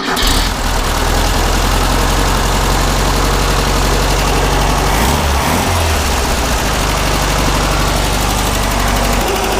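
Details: 1600cc dual-port flat-four from a 1970 VW Beetle, cranked up before a compression test, fires and settles into a steady, even, loud rumble with no knocks or misses; sounds healthy.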